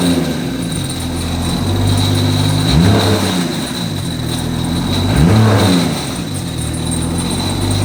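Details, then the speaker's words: BMW E90 335i N54, single-turbo around 700 hp, 145,000 miles: two quick blips from idle with a loose rattle riding the revs; failed turbocharger, turbine wheel has excessive shaft play, cause unknown. "i don't know what the hell's going on the turbo but there's something very loose turbine wheel it's just like it has a lot of play"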